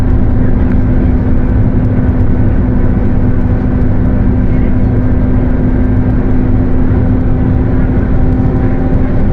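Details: Mercedes-Benz OF 1721 bus, Torino S body (Viação Estrela 100.141), at cruising speed: steady low hum under a constant road roar, partly masked; the differential is roaring.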